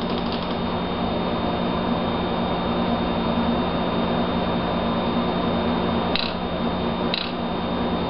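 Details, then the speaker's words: Volvo 240 with Bosch LH 2.4 injection in ECU self-diagnostic function three: a steady electrical hum, then sharp clicks about once a second as the idle air valve switches on and off. The valve and the fuel injectors test as working properly. "that noise is the idle air valve switching on and off so the test comes back positive for both of those they're both working properly"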